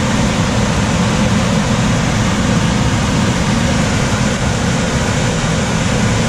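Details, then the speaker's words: Coleman DGAX056BDTA manufactured-home furnace, constant-torque ECM blower with 24-volt taps set to high: loud steady rushing airflow with low rumble, no rhythm when main blower runs; excessive blower noise from high speed tap, fix is lowering the speed. "Is it just when the main blower comes on you notice probably?"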